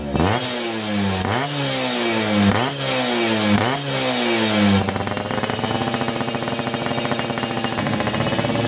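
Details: Yamaha F1ZR Millenium two-stroke (YP2 block) during a teardown and restoration, original manifold rubber with a chicken feather found inside; four sharp throttle blips rising and falling cleanly, then a crisp even buzzy idle; normal healthy engine.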